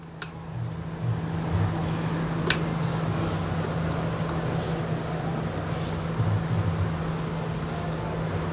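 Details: Water pump switched on in automatic mode with the DIY PCB low-water cutoff controller (well-level sensors) installed; steady even low hum, no knocking or rattling: normal pump operation before the lower sensor shuts it off.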